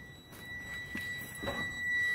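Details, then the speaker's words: 2006 Freightliner M2 Business Class with C7 engine, Bendix air system not holding air: steady high-pitched low air pressure warning buzzer in a quiet cab, primary and secondary gauges both down, suggesting a leak somewhere in the system. "So if it's beeping the next morning, or even when you come back, from it being off, and you look at your pressure gauges, and your pressure gauges are at zero, most likely you have a small leak somewhere in the system."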